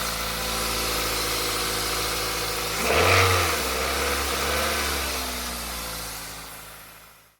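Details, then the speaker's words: 1ZZ-FE engine in a Pontiac Vibe/Toyota Matrix/Corolla at idle after a serpentine accessory belt replacement: steady idle with a brief blip, and the former belt squeak is gone; normal. "Belt sounds good, it's no longer squeaking."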